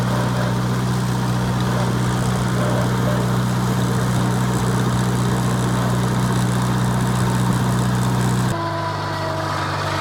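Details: 1949 Farmall Cub: an even, steady low thrum at constant speed with no knocks or rattles. Normal running.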